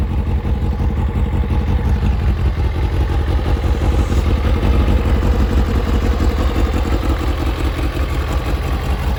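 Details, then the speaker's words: Kawasaki ZZR600 four-cylinder with Micron exhaust fitted, carbs resynchronised, MOT prep done; even crisp burble holding steady and picking up cleanly, no rattles or stumbles; rides lovely, normal idle and revs. "As you can see, I've taken it for a ride. It rides lovely. It sounds great."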